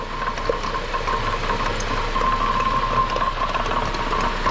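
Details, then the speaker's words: 2003 Honda Element raised on a lift, running in gear with the wheels spinning: steady rough grinding with a faint ringing from the left inner CV joint, boot ripped and grease squirting out. "hear that noise that noise is actually the inner cv joint right there the boot is ripped and it's grinding"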